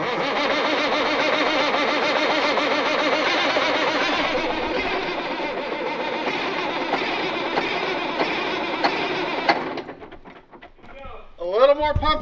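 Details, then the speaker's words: Cat 16H grader's Caterpillar 3406C diesel, abandoned about a decade in a mine boneyard, fuel primed: cranks with a steady chugging beat, then catches and runs evenly. It's a healthy first start with no ether. "that could not have gone much better perfect that's what I like to see it started with no ether"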